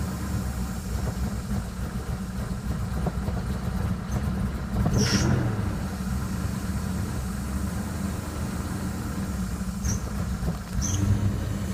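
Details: 2000 Jeep Grand Cherokee Laredo, 4.7 engine, 175k miles, replacement block after head gasket failure: low uneven idle with dull knocking, light rattle and stumbles; mechanic diagnosed two slapping pistons and a slack timing chain; sputters at 1000-1500 rpm, coil/misfire codes.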